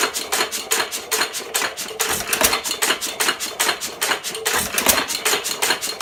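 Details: 1917 Fuller and Johnson N hit-and-miss stationary engine, first run in ten months after priming: crisp valve and igniter clicks about two and a half per second with occasional heavier firing thumps between coasting strokes, normal clean hit-and-miss running.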